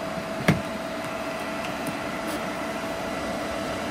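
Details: EG4 6000EX inverter in a barn solar setup charging batteries, DC clamp reading settling at about 50 amps per inverter: steady mid-pitched electrical hum under an even fan rush, one early click; normal inverter charging hum.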